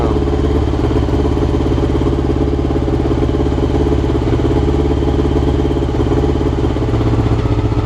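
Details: Honda CBR motorcycle, clip from before the float needles were changed: lumpy idle whose beat keeps stumbling and surging, never smooth; rough idle, cause suspected, not confirmed.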